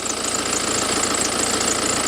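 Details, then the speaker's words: Cheap written-off BMW at idle: steady high-pitched chirping squeak, first suspected as the water pump; WD-40 sprayed on the belt stops it immediately, so the serpentine belt is squeaking. "spraying WD-40 on that belt. So it's got to be a problem. It's got to be the belt that's squeaky then."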